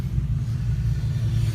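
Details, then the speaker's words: 1966 Chevy C60 truck that sat for decades, running with good oil pressure: deep even rumble, no tapping or knocking over the exhaust note; engine healthy. "so it will run oil pressure is good everything's good and it's not it's not knocking it's not making any noise everything's running on it looks good sounds good"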